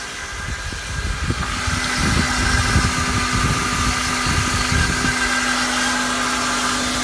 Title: Loud whining sound 2003 Honda Accord 4cyl 120k miles